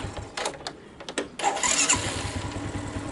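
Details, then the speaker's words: Suzuki Smash single-cylinder motorcycle, cold start after starter dynamo replaced: a few quick, light starter bursts, then it catches and settles into an even, steady idle; starter cranking now smooth and healthy. "Oke, sudah halus."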